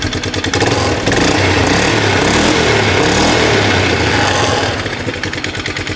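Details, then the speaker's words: Polaris ATV with belt chunks shedding in the CVT housing, engine running with pump working; harsh, uneven clattering and grinding about four times a second over the engine note, damaged CVT clutch. "Yep. That pump sounds healthy. All right. Get that pump to run again. There she is. That clutch sounds horrible though."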